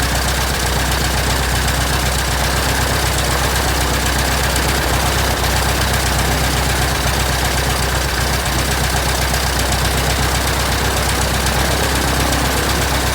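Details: 1967 Citabria restoration, first engine start: steady, even idle with a low rumble and propeller wash, no misses or stumbles; the engine runs cleanly.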